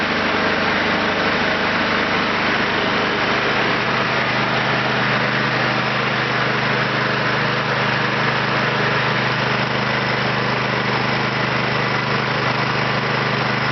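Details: Kentavr 7807 petrol snowblower with auger and belt drive, single-cylinder engine, after carburetor cleaning for a no-start; started with fuel tap open, choke on, throttle at max (hare): steady, even drone with no misses or surging, running normally.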